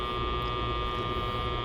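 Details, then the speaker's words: Magnetic amplifier core, transformer-like, with resistance added to the secondary coil: a steady electrical hum with a sharp buzz on top at constant pitch, while the fan slows down as the core grabs hold. "you see if I I've added resistance you can hear it star to buzz you can hear the fan go down and you can see it's grabbed a hold of that"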